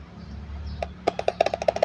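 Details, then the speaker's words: Horn speaker driver, reported by the customer as silent, found with a shorted lead, after re-soldering: multimeter on x1 brushed on the leads gives about a dozen sharp crisp clicks from either side; voice coil intact, normal voice coil click test. "เนาะอ่าดังอย่างงนี้นะไม่ว่าจะเขี่ยข้างไหนก็ดังได้มยอ่าอ"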